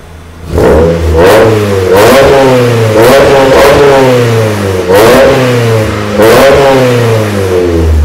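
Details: Revving after first start of a 2000 Miata NB engine, more or less stock, in a 1994 NA Miata: EDIS-4 crank ignition, Megasquirt, OBX cam sprockets, LC-1 wideband, cheap 4-2-1 header, Yonaka exhaust; crisp blips rising smoothly back to steady idle, throaty note, no misses, healthy.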